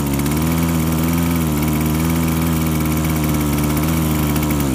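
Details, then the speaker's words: Two-stroke chainsaw-type engine (not the owner's own saw) held at full throttle while adjusting the high-speed carb mixture: it sags into a rich, muffled bog, then climbs back and clears as the mixture is leaned, finding the rich spot. "but you could see there how it really bogg down and then you were coming back from that bog down"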